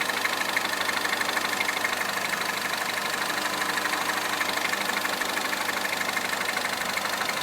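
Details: Citroën DS3 Racing engine at idle: steady idle with a fast, even metallic ticking over a thin engine hum; noise source not pinned down.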